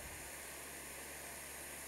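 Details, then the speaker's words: Brazing torch on copper refrigeration pipe with both valves opened wider: sharp, harsh steady hiss with a hard roaring edge, an oxidizing cutting-type flame; it heats the pipe fast but oxidizes the copper inside, so the mixture must be turned down. "sonido es para cortar metal pero también este es un sonido que nosotros le llamamos oxidado cuando yo quiere empezar a soldar aquí la pipa se va se va a calentar rápido si cierto pero por el lado de adentro yo estoy oxidando todo el cobre"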